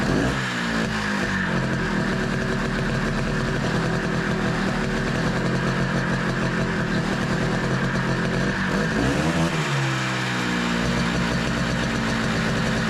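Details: 1982 Honda Odyssey FL250 two-stroke, freshly rebuilt engine with aftermarket Nibbi carburetor and stock exhaust, first start: loud raspy revving and sagging unevenly, never settling to a steady idle; won't hold idle, owner working on carb tuning.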